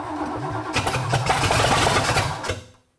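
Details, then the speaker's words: Ford engine first start-up with a known-good Edelbrock carburetor from a Gran Torino: the starter churns with ragged sputters but never catches. No fuel pump was hooked up, and more timing is suspected. "What do you think's going on? I do not know. Well, one thing, we don't have a fuel pump on."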